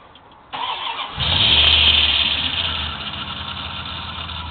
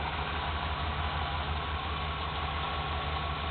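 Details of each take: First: 1995 Dodge Ram van: engine cranks and catches, then a loud high squeal rides over the idle and eases slightly; a cheap belt not seating properly, still squealing after one dose of belt dressing. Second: 1995 Dodge Ram van V8 at idle, after belt dressing was sprayed on a cheap, poorly seating serpentine belt at the pulley: steady low rumble, belt now quiet with no squeal; tensioner re-greased.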